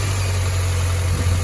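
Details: 2005 Mini Cooper 1.6 running after new auxiliary belt and tensioner, about 900+ miles later; steady low engine hum with no belt chirp or squeal, only a split-second squeak at first start. Accessory drive healthy.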